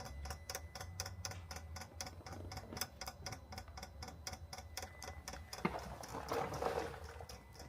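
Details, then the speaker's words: Priming the diesel (DPF) additive tank pump on a 2014 Peugeot Partner 1.6 HDi after tank replacement: steady rapid ticking, about four per second, as the pump primes fluid; healthy normal operation. "So now what we've done, if you can hear, we have activated the um pump for the diesel additive tank."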